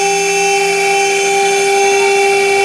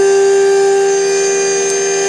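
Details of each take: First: End mill chattering while boring the NEMA 17 locating-pin recess in an aluminium heatsink motor mount, at a slow 150 mm feed with an unfamiliar bit; steady high spindle whine with a wavering, warbling squeal partway through the cut. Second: CNC facing pass on a billet heatsink motor bracket for a 3D printer, using a better-behaved end mill after heavy chatter with another bit at 1 mm depth: a clean, steady high tone with no chatter or warble, so the cut is smooth.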